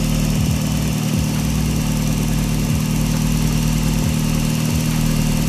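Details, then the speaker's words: Daihatsu engine after replacing the alternator bearing and a bent belt pulley: steady, even idle drone with no whine or chatter from the front, alternator charging properly; normal idle. "sounds okay. As you can see, the alternator is still charging properly, so everything was okay. We just changed the bearing."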